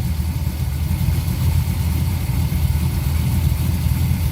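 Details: Porsche 944 with Chevy 6.0 LS V8 swap, at idle after an oil change, first start in about six weeks on a six-year-old battery, oil pressure up: steady, even, low burble with no ticking or misses. Normal idle.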